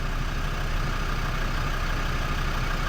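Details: Land Rover Defender TD5 diesel after replacing a faulty coolant temp sensor (was reading minus 22/33): steady, even low rumble with no hunting, misfire or knock; smooth, healthy idle.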